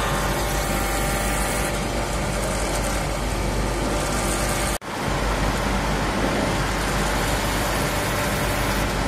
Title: CAVITATION & AERATION IN GEAR TYPE LUBE OIL PUMP